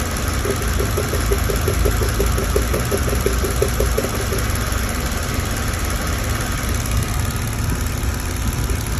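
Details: Mercedes-Benz W211 with a recurring engine misfire that came back 2.5 months after another workshop's repair, which included a new ECU: lumpy, uneven idle with light ticking and an occasional stumbling rhythm. Misfire at idle, cause not pinned down.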